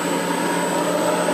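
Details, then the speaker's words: Dust collector high-pressure paddle blower on a VFD, running at 60 Hz, around 70 dB: smooth steady air rush with constant high whistle and VFD buzz, no knocks or rubbing; blower runs normally, owner thinks a stronger motor would help. "I'm pretty sure the air would be stronger if it had a half horse motor on [Music] it, but yeah. Not bad. You can hear the buzzing from the VFD."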